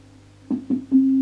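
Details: Orange CR120 solid-state guitar amp with 200 W power chips: test tone stutters in and out three times before holding steady, intermittent sound traced to a loose inter-board connector that cuts out at the slightest touch.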